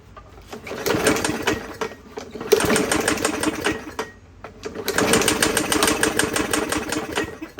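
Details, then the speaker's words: 21-inch Murray push mower, 125cc, in rough shape: engine stumbles with ragged, uneven knocking bursts and two brief dropouts; owner feels around the valve cover for the knock, first suspected the flywheel key, now suspects something warped; cause unconfirmed. "let me start it up one more time and I'm gonna feel around over here and see if that's where the knot is coming from"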